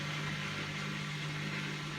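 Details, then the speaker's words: Bosch WFF2000 washing machine on test wash after earlier drain fault: drain pump hums and rushes water continuously without stopping to let spin start; owner suspects a pump fault, possibly on the switch, unconfirmed. "it's pumping away and it's pump them quite a bit of water there so it's like there's some pump fault potentially on the on the switch"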